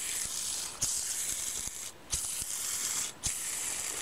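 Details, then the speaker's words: Drill-press electric motor bearing (60202, 5th GPZ), removed and spun by hand dry: gritty, raspy hiss with slight catches, fading as it slows; a washed, greased bearing should not rumble, so pitted races mean replace. "Змазаний підшипник ніколи не должен гриміти. Промитий підшипник і змазаний ніколи не гримить. А гримить він тільки, якщо у ньому є побиті бігові дорожки."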